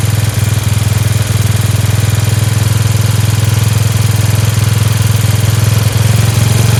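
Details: Free Dayton lawn tractor with 11 hp Briggs single-cylinder engine, running on its own after choking: crisp, even popping at a brisk steady pace without stumbles, idling a little fast; a spring is disconnected; healthy engine.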